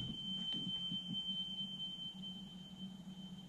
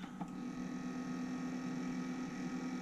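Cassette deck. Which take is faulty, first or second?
second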